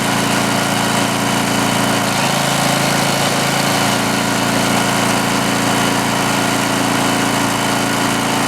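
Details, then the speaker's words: Greenlee 5000-watt generator bought at auction, missing its air breather, running a drill: steady, even drone that holds speed with no hunting or misses; runs healthy under load. "well it's hard to argue with them results run both not even notice it won't so yeah pretty happy with that definitely puts off more power than that other one"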